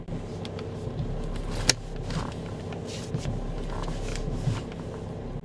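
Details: Power steering after adding an additive to the reservoir and idling 10–15 minutes, previously humming when turning: steady, quiet idle with a few light clicks as the wheel turns, no pump whine; power steering now normal.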